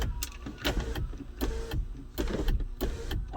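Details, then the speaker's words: 2014 GMC Sierra SLT 4WD 6.2L L86 with intermittent sunroof, no codes: motor whirs in short, uneven starts and stops; suspected sunroof switch sharing ground with motor, possibly bad motor assembly. "so to me what this is looking like is the sunroof switch you know obviously shares the ground with the motor okay now okay see now it's working but not correctly"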